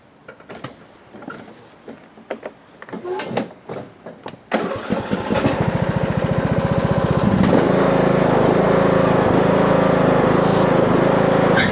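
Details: Husqvarna riding mower with a 42-inch deck, after replacing a broken pulley and a loose, incorrectly installed pulley: a few cranking bursts, then a steady even putter. Slight shaking is normal. Normal running.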